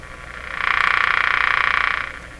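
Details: Electrohome Serenader 9A62-S tube radio after oscillator and dial alignment, before switching to the outdoor antenna. A rapid buzzing croak about two seconds long, rising and fading in the reception. Interference noise of unknown origin.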